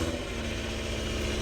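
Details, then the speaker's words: BMW M6 V10 being rebuilt, just cranked: lumpy, stumbling low idle with irregular pulses; running rough, cause unknown; no drive or reverse, low transmission fluid or blown transmission suspected. "The noise is terrible. Oh, it sounds terrible. That sounded really bad. Something is severely fucked up with that."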